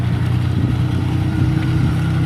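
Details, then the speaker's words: Maruti Omni after rear differential fully replaced (rear wheels previously not driven): driving in reverse with good pickup, steady low engine drone, no clunks or whine from rear axle; drivetrain healthy. "ഇപ്പോൾ വണ്ടി നല്ല കുന്നെല്ലാം കയറി പോകുന്നുണ്ട് കേട്ടോ. നല്ലൊരു അത്യാവശ്യം നല്ല കുന്നായിരുന്നു കയറി വന്ന് കേട്ടോ."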